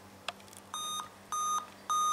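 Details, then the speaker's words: Dell laptop at power-on giving the 8-beep error code, steady mid-pitched beeps, before the hard drive starts, the fan kicks in and a faded beep follows; a graphics or display failure, which an HDMI cable has only helped temporarily. "eight beeps hard drive goes on fan kicks in and then a faded beep"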